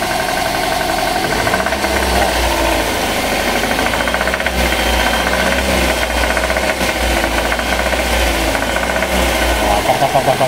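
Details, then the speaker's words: Daihatsu Gran Max 1.5 at 166,000 km, in neutral, complaint of rough engine: steady idle with a rapid, uneven "kotok" ticking knock about four per second; cause not yet found, engine to be torn down. "Nah kita nyalain ya Nah kedengaran kan kotokotokotokotokotok"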